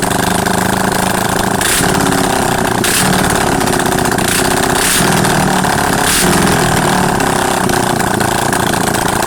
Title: yamaha xs400. After rebuild.